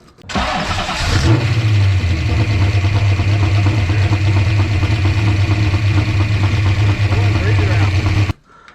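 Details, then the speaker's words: Engine that began making noise on the road once warmed up: cranks, catches and idles with light quick ticking over the rumble; owner suspects lifter/rocker valve-train chatter despite oil reaching the top end. Not confirmed. "Uh I could hear I can hear the the rocker the rockers, you know, chattering. Rocker chatter, lift valve train chatter."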